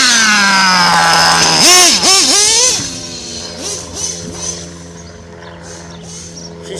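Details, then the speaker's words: Modified Nova nitro RC engine, still cold, tuned rich, owner thinks idle is set slightly low: quick rev blips then a low, blubbery idle; cold engine running rich and reluctant to keep idling. "she's still still cold man I think my idols a little bit too low too but I don't become a mess with it it just needs to get hot"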